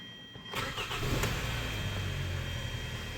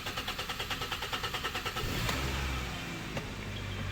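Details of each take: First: 2013 Hyundai Sonata 2.4L GDI after high-pressure fuel pump replacement, which cured long cranking: short crank, then it catches at once and settles into an even, steady idle with no misses; a clean start. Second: 2013 Hyundai Sonata 2.4 GDI cranking: starter churns about three beats a second for nearly two seconds before it catches, every time, and it feels down on power; long crank from low fuel rail pressure, failing high-pressure fuel pump.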